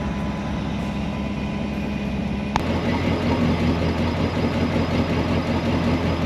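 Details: 1965 Ford Galaxie 500 project car, newly revived, with gauges showing coolant temperature, voltage and oil pressure: an even, steady V8 rumble at idle with no knocks or misses. Runs smoothly.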